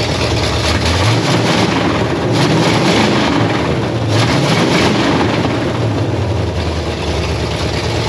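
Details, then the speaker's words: 1968 Pontiac Firebird V8, parked 30+ years, running on a fuel jug after new spark plugs and after finding the coil wired backwards. Loud, rumbling, somewhat uneven lope with no misses or knocks; it runs fine. "all right I ret topped off my fuel jug we going to see if this Joker will run one more time just cuz I want to hear it run"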